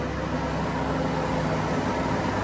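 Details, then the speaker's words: Renault Twingo 1 phase 2, 8-valve engine, running in 4th gear with the front right wheel spinning: a steady, even rumbling drone with no knocks, a worn front wheel bearing; this pinpoints which side is bad. "donc va clairement j'ai trouvé assez facilement de quel côté venaient mon roulement non bruits de roulement pardon"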